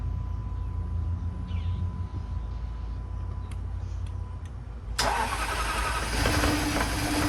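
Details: 2010 Jaguar XFR V8, first start after new spark plugs, ignition coils, fuel injectors and an oil change (fuel had reached the driver's-side exhaust bank): quiet, then it catches around five seconds into a steady, even idle with expected exhaust smoke.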